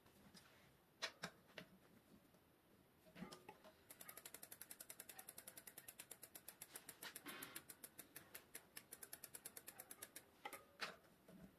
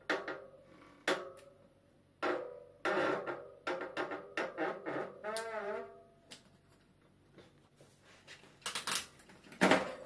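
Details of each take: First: Bicycle disc brake after degreasing pads and disc that were squeaking from oil contamination, wheel refitted; fast even freewheel ticking about eight clicks a second, no squeal or rubbing. Brake quiet, normal. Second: Bicycle disc brake: sharp, honking squeals each time the brake is squeezed, and it slows poorly, because oil contaminated the pads and disc; fix is removing and degreasing the pads and disc.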